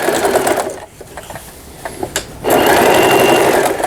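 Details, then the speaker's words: Elna 318 sewing machine after repair of its pattern/zigzag mechanism unit, which before gave straight stitch only, sewing pattern stitches: fast, even stitching chatter about 2.5 per second with a loud hollow rattle; the plastic body resonates and shakes, but it runs normally. "이제 요걸 사용하면서 이 기계가 약간 튀는 걸 보실 수가 있어요. 울림이 심하죠. 이게 바디가 플라스틱으로 돼 있어서 그렇습니다."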